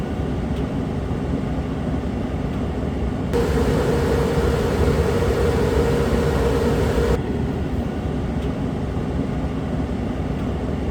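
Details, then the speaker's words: Suburban propane furnace in a Dynamax RV after acoustic panels fitted in front of the furnace behind the return air grille: steady airy roar with soft hum, no rattle or scrape; much quieter than before. "I wish I would have done a test sitting right here prior to the modification but again much quieter than when we started"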